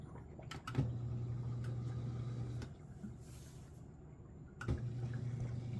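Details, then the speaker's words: Miele G6625 dishwasher, bought April 2018 (about 7.5 years), owner hears loud grinding from circulation pump motor at bottom, filter and non-return valve clear: low steady hum, stops, resumes after click; drain pump cycling normally, drains fine. "It definitely does sound like it's coming from the bottom of the unit where the motor is. But it does drain just fine."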